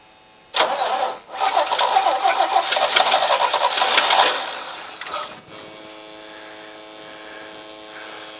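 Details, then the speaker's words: Vintage Toro tractor, former golf green mower used as airport tug, first start attempt on jumper pack with glass jar fuel feed: uneven lumpy ragged run; owner suspects bad carburetor float flooding the engine. "i think it's probably got a bad float because i think it's filling the engine full of gas"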